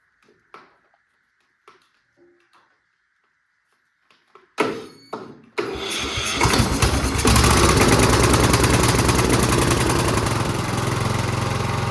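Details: Husqvarna YTH20K46 mower with a replacement 20 hp Kohler Courage SV600, test run with air filter off and little fuel: a few clicks, then catches and settles into a steady, even, strong run; healthy start.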